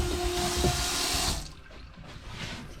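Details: Sailboat fresh-water and seawater pressure pumps on test after plumbing work: steady rushing flow from the tap that stops cleanly, no surging or sputtering; the pumps purr quietly and the pressure system delivers normally.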